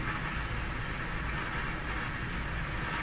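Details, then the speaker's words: Hammarlund HQ-100A communications receiver at checkout, selectivity control turned past the 2 o'clock position the manual warns about: a dense rushing roar with a faint whistle swamps the audio. The receiver is oscillating. "so in the manual it warns that if you turn the selectivity control much past 2:00 it may the radio May oscillate there you can see it the oscillation is taking the rad right"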